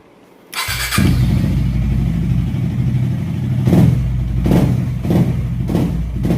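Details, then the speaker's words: KTM Duke 250 running after repair: short circuit from corrosion (salt buildup) on the key-set wiring line cut power so the bike died while running; line cleaned. Single starts cleanly, idles steadily with crisp throttle blips, no cutting out even when shaken. "இந்த electrical லைனை clean பண்ணி போட்டோடனே இந்த issue solve ஆகிடுச்சு. இப்போ பாருங்கள், அந்த இந்த ஷேக்னாலேயும் இதனாலேயும் எதுவும் ஆஃப் ஆகலை."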